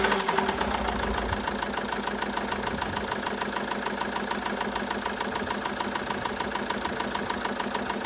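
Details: 2013 Citroën Jumper II (Type 250), 2198 cc 96 kW diesel, engine code 4HH, 294,000 km, with bearing damage and a defective cooling system. Sharp, metallic, regular knocking about three per second over the diesel idle; main bearing knock.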